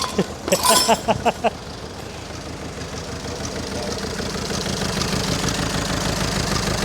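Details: 490,000-mile VW Caddy diesel with cooked Lambda sensor and EGR pipe off: brief cranking, then fires and settles into a steady, fairly even idle with no misfire or stumbling; runs okay.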